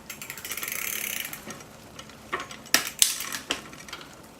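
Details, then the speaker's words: Marin Stenson road bike during tune-up, after the front derailleur cage was nudged forward to stop chain rub: a soft chain whir, then crisp clicks as it shifts chainrings, with no rubbing afterward, shifting cleanly. "Okay, that's quiet. Let's see how it does when I shift it."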